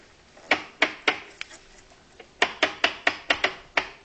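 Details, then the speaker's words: Zenith Trans-Oceanic R7000-2 shortwave radio switched off, so only the band selector is heard: crisp, even detent clicks in two runs of quick turns, about ten in all, with a quiet background; normal, healthy band selector switch. "now I'm going to be completely quiet the radio is off so all you're hearing is the sound of the selector"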